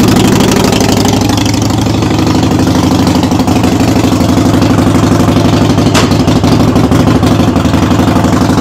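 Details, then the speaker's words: Harley-Davidson Sportster V-twin in neutral, rear wheel raised, running during brake switch repair: loose, uneven clatter about three beats a second over lumpy idle, "rattles like a freight train"; source not pinned down. "well this thing kind of rattles like a freight train when it's running so you're gonna have to excuse that noise"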